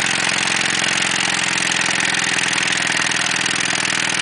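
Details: Ford Taurus engine running with no oil in the pan: steady idle with a fast, uneven knock about two to three a second; rod bearings starved of oil, run until it froze up and stalled.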